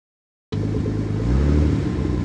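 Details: Nissan 280ZX Turbo, L28ET engine: starts and revs with a heavy, uneven low rumble and a metallic knock under it as revs climb. Rod knock from a worn connecting rod bearing.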